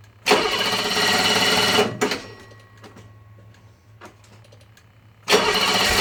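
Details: BMW 635CSi E24 at normal operating temperature, idle OK, after two months unused during lockdown: two long cranking bursts with a low hum between, and the engine won't catch readily. Hard warm start; owner suspects fuel starvation or the fuel pump.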